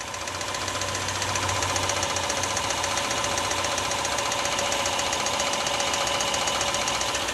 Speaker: excessive wear on the wrist pin will cause that knock notice and listen below the engine wrist pin knock in a CFI sounds like this notice the difference